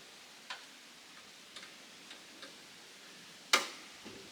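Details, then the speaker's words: John Deere 350B bulldozer with rebuilt engine at first start attempt, fuel system bled; faint irregular ticks about once a second then one sharp loud click, no cranking; owner suspects wiring problem, not confirmed. "power what sucks tells me i got a problem with my wiring"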